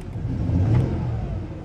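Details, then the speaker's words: 2004 Jaguar S-Type V6 with a persistent misfire the owner believes is cylinder 3, despite OK injector voltage and reasonable compression; a quick rev and drop gives an uneven, stumbling low beat. "you can definitely hear it so what is going on although this thing's scanning we'll see if it throws it for number three again"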